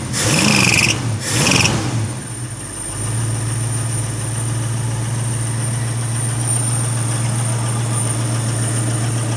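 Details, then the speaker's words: 1972 Ford Maverick Grabber with factory V8, after a decade of neglect and fixing a large vacuum leak with a homemade gasket: a brief cranking burst, then a smooth, even low idle with no misses; normal idle. "we figured out it was a big vacuum leak between the spaceship plate and the motor craft to put on there we made our own gasket to retrofit and make it work and it's running right now"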